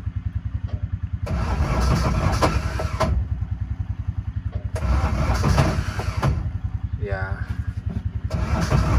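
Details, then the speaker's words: 2014 Intimidator Truck Series UTV with a 1-liter Kohler three-cylinder diesel, cranked after the glow plugs warm up: slow, heavy compression thumps that never catch. The battery is not strong enough and the starter has issues. "so two things are happening here the battery for number one is not strong enough and secondly um the the starter is having some issues"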